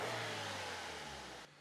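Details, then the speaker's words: Car with engine and body vibration, after repair: revs rise and settle smoothly with an even clean note, no rattle or thumping through the body; vibration gone, engine running normally. "ഒന്നും കൂടെ ആഹാ ദാ ഒരു സംഭവം ഇല്ല എല്ലാം മാറി എല്ലാ പ്രശ്നവും മാറി പെരുപ്പ് ബഹളം എല്ലാം മാറി റൈസ്"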